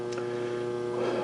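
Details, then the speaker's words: Phase converter heard through the wall while a Pratt and Whitney lathe with a Lima 4-speed drive is first started after restoration: constant, even electrical hum with steady pitch, running normally. "Alright guys, if you hear a hum in the background, that's my phase converter. It's just right on the other side of the wall there, and you usually can't hear it from the other machines, but this machine's you might can."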